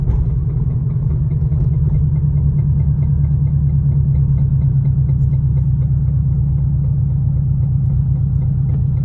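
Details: 2002 Subaru WRX at idle: steady low rumble with a rapid, even knock on every engine turn, suspected rod knock, not confirmed.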